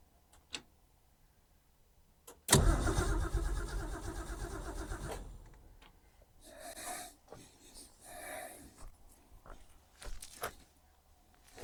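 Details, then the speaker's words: Ford Falcon not driven since 1991, with a newly fitted electric fuel pump: cranks, catches, runs roughly a few seconds, then dies, leaving faint clicks. The new pump isn't delivering; possibly already has pressure, cause unconfirmed. "You just went off. Why did you just go off? Maybe it's already got pressure on it."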